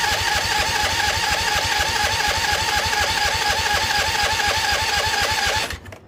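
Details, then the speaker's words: Husqvarna YTH2148 lawn tractor with Briggs & Stratton Vanguard V-twin cranking rhythmically, never catching; carburettor dry, no fuel arriving despite blowing through tank and line; owner suspects fuel pump. Cranks but no start, fuel starvation. "no nothing get any fuel in there no it's dry as a bone doesn't it dude"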